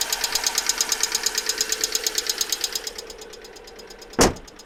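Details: Alfa Romeo 147 1.6 Twin Spark 120hp at idle, started two days after an oil change with 10W40 and an engine flush: fast top-end ticking about three per second that fades; fixed by replacing all 16 hydraulic lifters.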